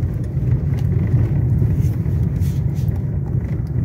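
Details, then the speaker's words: 2021 Renault Logan 3-cylinder, after repair of a right-side suspension noise that began after hitting a pothole, fixed without replacing parts: on a bad potholed street only steady low road rumble, no knocks or clunks. "Ele batia tudo, ó, tá zerado. Não faz barulho nenhum mais na suspensão. Fazia pá, pá, pá."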